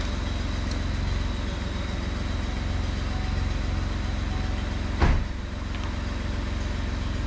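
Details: 2012 Chevy Cruze with the engine just installed, jumped from a Jeep: a steady low chugging at about four beats a second that never catches or picks up; cranks but won't fire.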